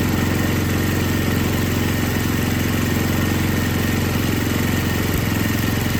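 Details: Older MTD Yard Machines snow blower with Tecumseh 5 hp engine that would not start, after carburetor was rebuilt and gasket found falling apart; even single-cylinder putter at steady speed, no hunting or stumbling, normal idle.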